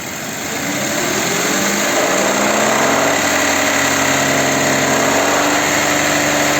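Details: Audi Q7 3.6 FSI VR6 direct injection, warm at about 88 degrees, after repair: engine spins up smoothly to a steady higher pitch, no rattle or tapping; before repair it rattled on throttle; one muffler leaking slightly.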